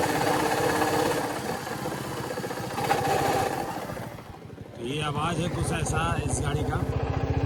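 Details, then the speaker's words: Royal Enfield Classic single-cylinder motorcycle under warranty: thumping with a rough, irregular mechanical rattle on each beat; engine bearing failed, parts to be replaced under warranty. "ये आवाज है रिबॉल क्लासic का और इसकी गाड़ी का engine का बैरिंग खराब हो गया है"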